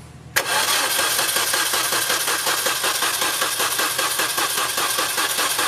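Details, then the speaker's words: Engine cranking during a compression test with a Snap-on EEPV700 wireless gauge, reaching 120 PSI; the owner says the battery is about junk. The starter turns slowly with an even, labored chug of about two to three beats a second: slow cranking from a weak battery. "yes I know my batter is about junk so it cranks kind of slow"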